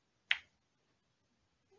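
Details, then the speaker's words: Bench test of a transmission shift solenoid from a 2010 Toyota Tacoma 5.7 L, on a charged 12 V battery with a 21 W bulb in series: one crisp, strong click when the negative wire is disconnected; solenoid passes, working normally. "so do you hear that big click once I took off the wire from the negative it also clicks when I connect it but not as strong as when I disconnect it"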